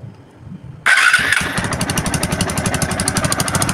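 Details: TVS Apache RTR 2V after a big bore half engine rebuild, final start with nuts fitted on both sides as a temporary fix for a stripped thread; it catches first try into a steady, even idle with no knocks or misses. Normal idle.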